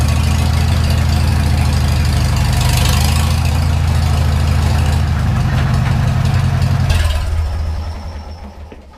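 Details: Farmall Super M tractor before its engine rebuild. Deep idle with a heavy knock about three times a second riding over the firing until shutdown; the cause of the knock is still unknown.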